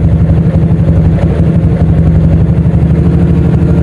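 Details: 2007 Yamaha Old Jupiter MX after tune-up: bored up to 57mm on a Vixion 1PA block, BRT T28 cam, BRT dual-band CDI with dual band active, ported, 28mm header. Even, quick firing beat at a steady speed with no misses, knocks or ticks; running normally.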